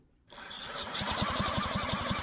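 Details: Velo Solex 5000 moped engine reassembled during revival, checking pump crankcase vacuum and pressure: even compression puffs five or six per second as engine turns over steadily, normal cranking with no binding; still spewing crap from the crankcase.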